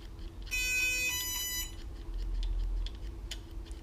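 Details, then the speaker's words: Miami Electric Boards electric skateboard with handheld remote, receiver-to-ESC cables deliberately swapped: a quick run of bright ESC beeps at power-on, then silence with no motor spin-up; wrong cable connection. "So I hear the beeps, but nothing's happening. That's odd."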